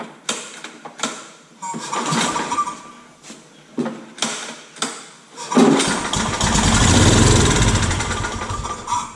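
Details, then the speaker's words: Old Scag hydrostatic walk-behind mower with a newly installed carburetor and ignition coil, no fuel source hooked up: it fires on starting fluid with sharp pops while cranking, then runs roughly for a few seconds and dies. "basically this thing just fired up so we are I think uh in really good shape"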